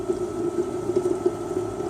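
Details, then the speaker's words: Power steering fluid change: extractor makes a light gurgling slurp with a thin steady hiss as it starts pulling air, meaning the power steering reservoir is emptied of fluid. "I can just feel that sucking up the oil until I just feel more air being sucked up. There we go, you can hear it's sucking the air through there now."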